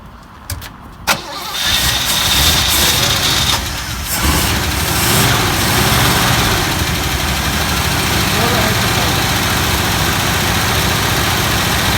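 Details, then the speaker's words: 1964 Buick LeSabre Wildcat V8, first start after 28 years on blocks, old spark plugs, no coolant, a little ether: short crank, couple of coughs, catches and settles to a steady, slightly lumpy idle running cleanly. "It fire up, it sounds very nice. I don't think there's a lot wrong with it, Ron."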